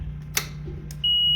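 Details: Ryobi RM300E mower with new Digi Marker 48V 67Ah LiFePO4 battery (internal 12V DC converter) replacing lead-acid, battery switched on then mower: faint clicks, then one steady high half-second beep; normal power-up.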